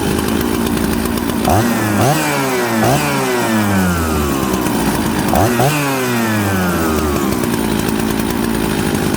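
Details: Mixmaster Husqvarna 266/Jonsered 630 Super chainsaw, warm, after low jet set about midway of 5/8 turn range: two blips falling back over burbling idle, super smoky and rich.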